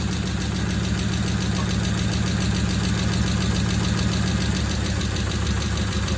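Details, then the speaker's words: Original 21-stud engine refitted in the hot rod, exhaust just installed: smooth, even V8 idle with a steady low burble and a faint tick from a noisy lifter the owner expects to clear up; running well. "Apart from a noisy lifter, which will probably clear up, that sounds incredible. So smooth. You can't beat the smoothness of one of these engines."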